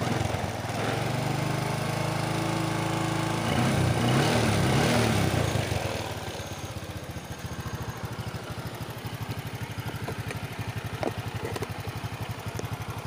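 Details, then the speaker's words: Motorcycle carburetor reinstalled after a fix for flooding, first start: it fires up, revs briefly, then settles into a steady, even idle with regular firing beats and no stumbling; runs clean. "Coba kita hidupkan semoga tidak banjir lagi"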